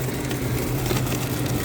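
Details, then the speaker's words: Cornelius nugget ice machine after installing bin extension kit for the ice bin thermostat probe: steady low motor hum with ice rattling through, no struggling motor sound; normal ice dispensing. "Okay, so now we got the good amount of ice in that ice bin. It's coming out a lot better now. You don't hear that struggling sound of the motor."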